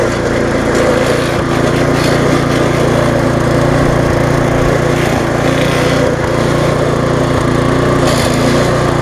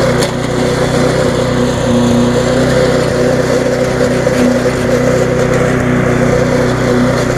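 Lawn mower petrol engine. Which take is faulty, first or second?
first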